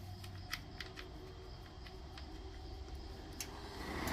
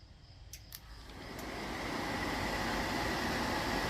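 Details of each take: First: Atwood 7916-II propane furnace, pulled from a popup, bench hot-wire tested in a garage: faint ticks, then the blower spins up to a steady airy rush for normal pre-purge, before the valve clicks and lets propane in. It only fires with both wires connected. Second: Atwood 7916-II propane furnace removed from a pop-up camper, bench hot-wire test: a click, then steady blower whoosh but no igniter or burner light-off; it only kicks over with both wires connected.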